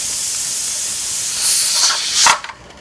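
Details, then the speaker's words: Pressure canner, burner on high, quart jars of yellow squash: loud steam hiss swells, spurts, then cuts off as the pressure regulator is placed after 10 minutes venting, heading to 10 psi; normal steam release. "Don't let that noise scare you, nor that steam."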